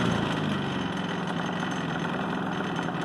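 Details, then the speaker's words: Harbor Freight Predator 3500 W inverter generator, nearly full on gas, in a cold room, just started: steady even low hum with no knocks, misses or surging; quiet enough to talk over; running normally. "is so quiet. I can actually talk and I don't have to yell."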